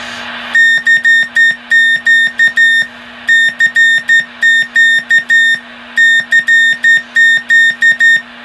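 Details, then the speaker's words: Vintage Johnson Viking Navigator CW transmitter after repair, about 25 watts on 80 meters: keyed Morse tone, steady high pitch, crisp on-off edges, no chirp or clicks; oscillator healthy, signal clean. "And the Navigator is transmitting good. No problems. The oscillator sounds good and healthy, and seems to be working pretty good."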